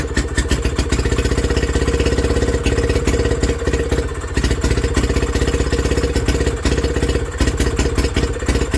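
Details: Villiers WX11 engine restarting after a carburettor rebuild, burning off rich raw fuel from repeated cranking; firing speed rises and sags every few seconds; hunting at idle, carburettor top adjustment judged needed.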